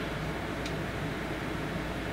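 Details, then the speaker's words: EVGA GeForce GTX 560 Ti 2 Win 2GB video card in open-sided case, fan set to 52% (its full-load speed; idle 35% is inaudible): even airy whoosh at constant pitch, no ticking, rattle or whine; audible but not loud, normal fan noise. "So you can kind of hear it sitting out here, but it's not that loud. It's actually pretty decent for full speed at what this gets to."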